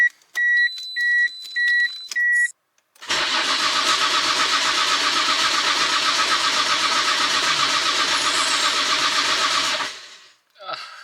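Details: Nissan R33 GTR that drove fine, then wouldn't start after parking: four warning chimes, then about seven seconds of steady cranking that never fires after new fuse and relay fitted; no fuel delivery from a burnt fuel pump connector.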